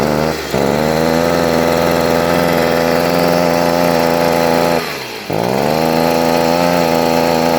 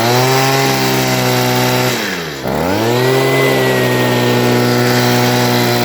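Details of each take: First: Stihl leaf blower that starts but will not rev up to full rpm, carburetor adjustment already ruled out; steady mid-pitch drone sagging twice, never reaching full speed, caused by a clogged spark arrestor screen restricting exhaust flow. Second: Stihl two-stroke leaf blower (previously wouldn't rev up) at full throttle after cleaning the clogged spark arrestor screen: loud, high, steady buzz dips briefly then holds full revs cleanly; runs better than before, owner thinks slightly rich.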